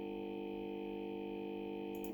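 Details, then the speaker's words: Loud, steady buzzing hum from the audio output for about two seconds, cutting off abruptly; it appears when audio playback is stopped but not when paused, cause unknown. "hello if I stop this audio wallets playing I will get a terrible buzzing sound if I just pause it I won't take a look"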